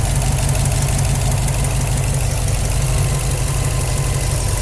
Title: WRX buzzing sound